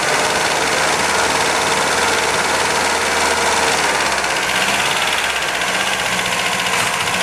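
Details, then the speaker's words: 1977 MGB first start after many years off the road: loud, ragged, uneven running with busy tappet clatter; ignition timing massively over-advanced, tappets need adjusting; oil pressure about 60 psi. "she's tapity rattle we can adjust the tappets and she's running roughly because the timing isn't as it should be of it's massively Advanced"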